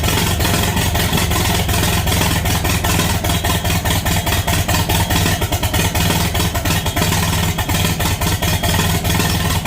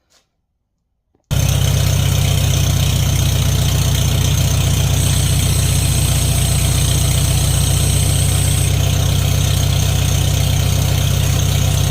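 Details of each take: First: International Harvester Farmall 450 tractor first start after sitting, with fresh gas and battery and no muffler: loud, rough running with irregular pops, a backfire out of the carburetor, most likely because the distributor needs adjusting. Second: Farmall 450 started on fresh gas and a new battery on a chilly day, now with a muffler fitted. It runs with a steady, smooth low rumble and no misses. The throttle linkage acts backwards, and the owner suspects the distributor and carburetor need adjusting.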